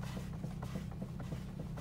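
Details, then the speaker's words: 2018 Subaru Outback, 34,632 miles, stationary, after its second steering rack replacement: light, quick knocking about three to four per second when turning the wheel, also over bumps; clunk persists, cause unknown. "the steering rack was replaced now the second time and the issue is still here as you can hear when I'm over the wheel"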